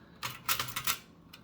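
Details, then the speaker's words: Restored Toshiba BW-3112 Japanese kanji typewriter after final adjustments: crisp, clean keystrikes in uneven typing rhythm; key action now smooth for normal presses, though impression quality is weak. "Kind of depends on your technique, but basically, for the most part, for normal presses, virtually the entire thing is finally pretty smooth."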